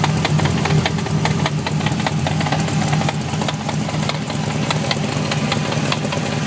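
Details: BMW E30 with V8 and 5-speed gearbox idling: a loose, uneven knocking of about two to three knocks a second over the low rumble; the gearbox is suspected, not confirmed.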